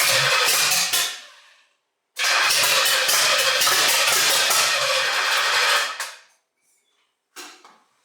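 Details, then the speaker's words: 1968 GTO with a rebuilt Pontiac 400 stroker on first start, with timing still being adjusted and gas just added to the tank to prime the fuel pump. Two long bursts of fast cranking with no firing. Cranks but won't start; the cause is unconfirmed. "i did add some gas to the fuel tank so i'm hoping after a little crank in here i'd actually get some real fuel up in here"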